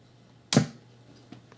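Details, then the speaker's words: Crate Blue Voodoo BV50H 50-watt tube amp head arriving with shipping damage and broken power tube, warming up with no guitar, volumes down: single sharp pop when standby is switched off, then faint hum; cause not pinned down. "okay I don't know if you guys heard that little pop but I did and I can hear that there is power running to the cab down here"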